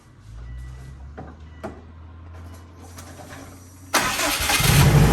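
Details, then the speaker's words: 2004 Subaru WRX rebuilt from the ground up, on stock Cobb Stage 1 map without base map: quiet hum, then fires promptly into a steady, even idle without stumble or knock; no smoke; normal start and idle. "yeah it's quiet but [Music] runs well no smoking or anything like that"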